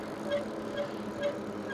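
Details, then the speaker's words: Electric pedal-assist bike riding over gravel: faint high chirp repeating about twice a second over gravel rumble from the rear brakes; the rider suspects the rear brakes are glazed, not confirmed. "It's the rear brakes. Yeah, they must be glazed or something."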